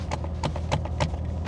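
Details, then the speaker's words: Chevrolet C7 Corvette Z06 while driving: loose uneven clatters several times a second over low road rumble, the removable roof panel rattling in its mounts; owner doesn't know how to fix it. "So first con, my fucking thing rattles like crazy. I don't know if you guys can hear that, but yeah, this shit rattles and it is so annoying. I don't know how to fix it, but it's the roof, and you can take it off the roof, but"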